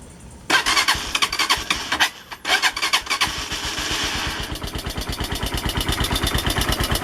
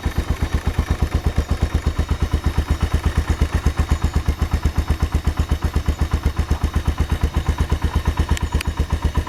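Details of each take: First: AKT TTR 200 motorcycle arriving for service: burst of revs then a choppy idle with loud clattery, hissy top-end engine noise; cause not identified, to get tuning and cleaning. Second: AKT TTR 200 motorcycle, presumably after tuning and cleaning: fast, even single-cylinder idle thumping at a steady rate, no knock or clatter; runs clean and smooth.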